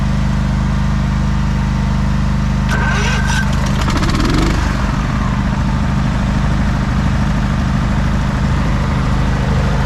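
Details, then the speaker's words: 1989 Craftsman riding mower with Kohler engine, just jump-started after sitting for months: steady, even low drone with no misses or knocks, running normally, though it tends to stall when the throttle is raised and may need tuning. "she's running mint"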